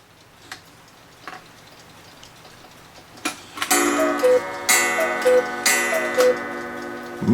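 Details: 8-day Black Forest cuckoo clock with auto night shutoff, after service (blown out, oiled) and a wire bent to stop a thud: soft ticking, then clean two-note cuckoo calls each followed by a clear ringing gong; strikes properly.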